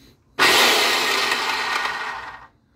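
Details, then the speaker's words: Craftsman circular saw after replacing destroyed bearing: spins up to clean steady high whir and coasts down smoothly, no grinding or rattle; normal running, sounds better than before. "sounds better than before huh"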